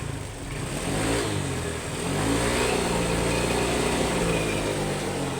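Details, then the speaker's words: Honda Click 125 scooter: revs stumble and bog unevenly with the lower air sensor of the two-sensor throttle body connected. Unplugged, it revs cleanly and the warning light goes out; faulty throttle body sensor, replacement planned. "ตัวล่างถอดถอดออกนี่เร่งขึ้นปึ๊ดๆเลยจ้ะไฟโชว์ก็ไม่โชว์ล่ะหายเลยไฟนี่เด้อนี่ตอนใส่อยู่มันบูบๆๆๆเร่งไม่ค่อยขึ้น"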